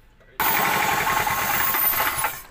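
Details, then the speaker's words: Toyota Calya engine just after start-up: harsh, rapid metallic knocking over the engine noise. Rod bearing knock; teardown found sludge under the timing cover, camshaft and cylinder head blocking oil flow, with engine oil choice blamed. "setelah kita mendengarkan suara mesin ketika dihidupkan sudah dipastikan bagian metal jalan bermasalah"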